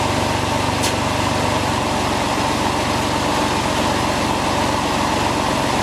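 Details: Porsche 911 996 C4S steady, even idle with a smooth hum after replacing the power steering pump, alternator and starter motor; no scraping or rotating grind from the accessories remains.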